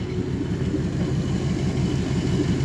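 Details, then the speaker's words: 1957 Pontiac Star Chief V8 at idle during inspection: loud, low, even rumble with open unmuffled puffing from a major exhaust leak; engine itself runs very smoothly, regular beat, no vibration. "bruit actuellement il est affreux, quoi. L'échappement libre, ça ne convient pas du tout à une voiture comme ça."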